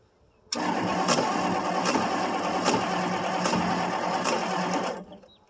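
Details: 1963 Ford Thunderbird, 390 four-barrel, cold start after about 3 years sitting, carb primed by pouring gas: the starter churns evenly for about 4 s but never fires; cranks without starting, owner suspects too little or too much fuel.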